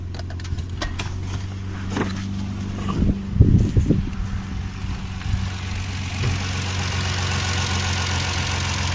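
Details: Toyota 1JZ-GE engine during belt tensioner pulley diagnosis for a squeak and crackle: steady, even idle with no squeak or chirp, so the noise came from the belt-driven pulleys.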